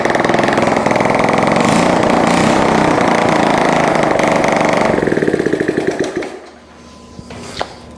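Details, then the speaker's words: Honda CT70 with swapped carburetor, started on electric starter, running with no exhaust fitted: loud, sharp, rapid open-pipe popping firing evenly, then winds down and stops; starts and runs cleanly. "That's awesome. I don't want to run it too long. I gotta I don't even have an exhaust on there."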